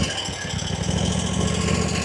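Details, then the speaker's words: RedMax zero-turn mower, Kawasaki twin, after intake gasket replacement: with choke on it idles up to an even, steady beat with no hunting, suggesting the surging comes from a lean carburetor needing tuning. "if I give it the choke, it idles up and runs fine. Nothing else happens. So I'm wondering if that carburetor needs to be tuned."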